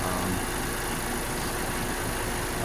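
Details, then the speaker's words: Car idling after fuel pump replacement, running 15-20 minutes with no issues; steady even idle with smooth low rumble, no knocks, misses or hunting; normal idle. "Like I said, still running. Been running for about 15-20 minutes. Don't seem to see any issues with it."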